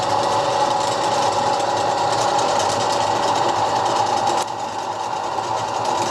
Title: Первый запуск Токарного станка СТД-120 М (после капремонта)